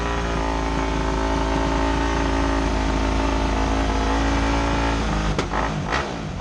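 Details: Motorcycle, not started in a while: deep, steady rumble holding even revs for several seconds before shutdown, no misfires or knocks; runs healthy.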